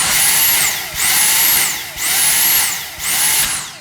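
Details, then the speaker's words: Dyson V6 Fluffy cordless vacuum with its Digital Motor V6, new out of the box: a high motor whine surges and falls back about once a second. The pulsing signals a blocked airway, not a fault. "That occurs if you block the machine. It just tells you you've got a blockage. It's not a fault."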